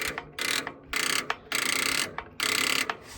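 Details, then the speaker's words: Rebuilt-engine tractor: short high-pitched whirring grind bursts with no engine catch; new solenoid fitted didn't fix it, starter burnt up from cranking attempts. "I said hey man I put a new selenoid on it the start I burnt the starter up trying to crank it"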